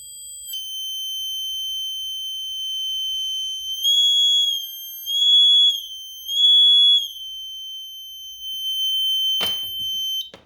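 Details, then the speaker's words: Renault Spider indicator tell-tale speaker, wired through a trim pot to adjust its volume: a clean, steady high-pitched tone with louder swells as the level is adjusted. It works as intended. "just to quickly show you um why i'm using the trim pot with the speaker to adjust the the volume of the tone basically this is how it works just about hear it now"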